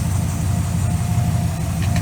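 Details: Engine idling just after power steering pump replacement, power steering working, fluid low but no aeration: even low idle with no whine or groan from the pump; engine and steering healthy.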